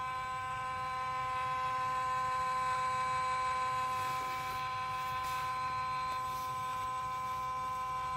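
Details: Yuneec C23 camera gimbal shaking and making noise: steady electric buzz with thin high whining tones that never change pitch; gimbal motor buzzing, cause unclear.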